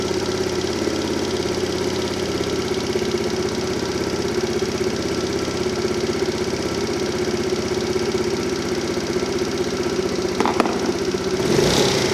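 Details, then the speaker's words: Tao Tao Pony 50cc GY6 (139QMB) scooter, warmed up after the auto choke came off, idle set with a tachometer: steady, even putter at about 1750 rpm, within factory spec, with no misses or knocks. "all right so I got my idle speed sitting around 1750 rpm just right in the factory specifications you'll notice the idle did come down quite a bit the more the engine ran"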